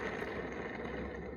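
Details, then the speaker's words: Husqvarna Automower front wheel with a worn-down tire and moisture and crud inside, spun by hand: a rough, gritty growl. The bearings are done and need replacing. "can hear those bearings just growling away they're done for so they're gonna need to be replaced"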